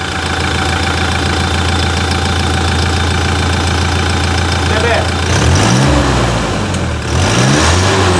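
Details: 2018 Toyota Hilux diesel after clutch replacement, service and suspension retightening, dash key-light fault found; steady even idle with low smooth beat, no knocks or misses: normal idle.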